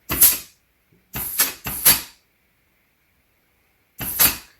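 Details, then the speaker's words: TH400 transmission rebuild, clutch drum air-tested on the bench: short sharp air blasts, each followed by a firm clunk as the clutch pack applies; normal, clean clutch apply. "can hear that satisfying clutch apply sound."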